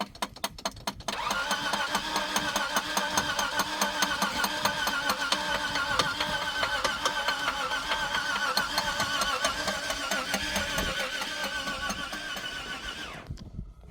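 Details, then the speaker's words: Off-road vehicle stuck on a snowy Chili–Didgori road during a rescue: steady rapid cranking about two turns a second for twelve seconds, never catching; tapping the starter was suggested, cause unconfirmed, car left behind. Crank no start. "მოკლედ გადავწყვიტეთ დატოვება არ იქოქება ეს მანქანა."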